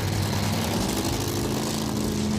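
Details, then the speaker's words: 1986 Ford Thunderbird, 302 V8 with 6-71 Roots blower and welded rear, tuned for altitude, starting at about 20°F in Rapid City winter; loud, rough idle with uneven, lumpy beat under blower noise, already missing, cause unknown. "it's already missing yeah it's this part oh it does great"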